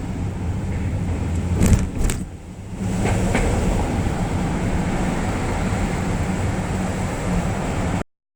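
Low engine rumble climbing the ramp, with a couple of sharp clunks as the wheel is turned left; the cause can't be pinned down.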